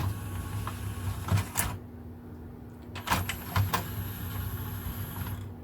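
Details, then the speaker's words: Technics SL-P170 CD player, tray not opening per customer; pressing eject gives steady motor hum with faint clicks, tray straining and sounding labored; stretched, slipping loading belt suspected, grease/oil overspray seen. "does sound a bit labored so I'm pretty sure that it's just a belt belt issue"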